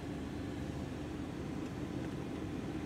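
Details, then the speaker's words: Jeep Cherokee XJ after heater core replacement, blower switched hot to cold: soft steady fan hum with airflow rush, no rattle or squeal; earlier blower motor noise gone, healthy. "the main concern was the noise with the blower motor so let's find out that's on three four yeah smooth operator noise is gone now"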